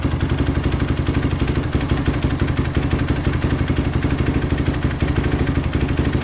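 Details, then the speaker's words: Desert racer ATV engine on a Dynotech CDI with stock maps, freshly installed and first run after a bad switch block was replaced; even, regular putter of about three beats a second with no misses or clatter; normal idle. "I'm sweating it out out here but this thing is running pretty well right now it's idled down oh that was nice"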